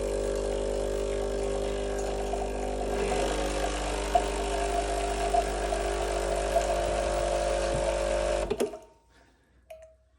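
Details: Breville Barista Express BES870 (Australian market) with a leak after brewing, suspected at the diffuser drain: a steady, low pump hum with a constant buzz for eight seconds during a two-cup shot, cutting off cleanly; the pump runs normally.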